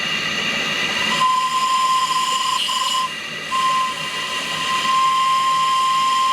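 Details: RC steam tug Côte d'Émeraude (Stuart D10) at just under 3 bar: a clear, steady high whistle in short bursts over the hiss of the running steam engine; the whistle works properly.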